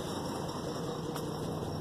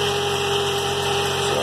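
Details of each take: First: 2003 GMC Envoy 4.2 V6, misfire out of the blue after exhaust manifold replacement, heard at exhaust: uneven, stumbling low putter with engine shaking at idle; cause turned out to be a bad coil pack, plugs also replaced. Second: 2003 GMC Envoy 4.2 V6 after repair of terrible misfire, new spark plugs and replacement of a bad coil pack, idling cold: even smooth hum with no stumble; normal idle, no more miss, good power.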